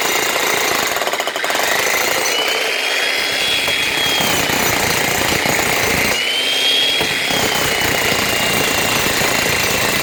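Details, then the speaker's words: Logan Tools (Titan-type) electric breaker after repair, relubricated with liquid grease following dropout from dry inside and worn O-rings: fast, even, continuous hammering with no stalls or dropouts; normal hammering action. "Right, that's that sorted for another while. Man might get a wee more life out of it."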